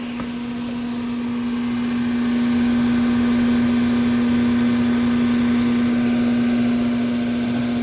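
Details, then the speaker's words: Condenser fan motor of a roughly 2018 AC unit that cools then cuts off intermittently: steady loud drone with even hum under rushing air; motor noisy and spinning in reverse, cause then investigated. "yep it sure is this is one you don't see every day so um motor definitely going in reverse"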